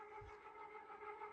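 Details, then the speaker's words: Restored gear-driven ceiling fan with a new Blender-modeled replacement gear, blades fitted, barely a breeze; steady loud whirring with clear sustained tone and overtones, even and unchanging: normal but loud gear drive noise. "You don't have to hear it. But yeah, it's loud."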